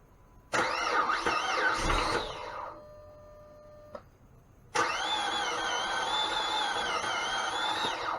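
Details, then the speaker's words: 2005 Dodge Magnum 3.5 L V6 after reassembly with timing marks lined up: starter cranks the engine over in long, even bursts but it never starts, a crank, no start. "i had a problem and the problem was i turned the key on went to start the car and it just span spun over and spun over and spun over"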